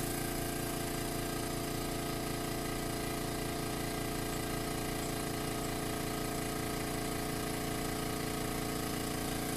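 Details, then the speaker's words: New Makita MAC700 air compressor outdoors, measured about 82 dB at 10 feet and 77–78 dB at 20 feet: steady pump chug about three strokes a second with constant motor drone, no knocks or squeals; normal running. "You can see we're about 82 decibels at 10 feet. Okay, here we are at 20 feet. You can see it's not that much quieter, about 77, 78 decibels, additional 10 feet away."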